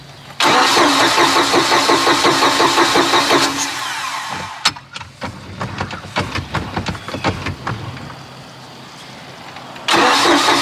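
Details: Neglected 2000 Bayliner Capri 1952 Cuddy Cabin with a 3.0 MerCruiser, little used for years: starter cranks in an even rhythm for about three seconds, pauses, cranks again, never catches. Owner suspects fuel isn't reaching the engine; it later started on starting fluid.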